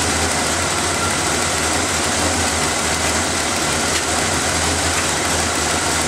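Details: Engine started after reinstalling the vacuum lines, air filter and cover, to check for hissing air leaks; steady even idle with a constant low hum, no hiss, ticking or hunting. Normal idle.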